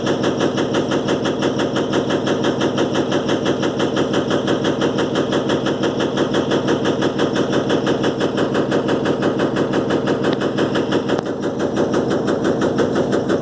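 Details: Electrolux LTE12 washing machine during a suspension test: fast, steady rattling of roughly three hits a second holds through the whole spin as the drum suspension rattles at spin speed.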